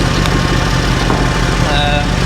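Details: Mercedes C63 AMG V8 with completely standard exhaust, warmed up a few minutes: very loud, deep, even burble with no ticks or knocks; healthy warm idle.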